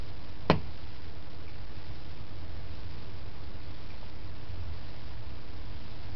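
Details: Plastic pipe carrying hot water toward a steam vent: one sharp crack over a steady low hiss, an intermittent cracking tick; owner wonders if the plastic expands with heat, cause unclear.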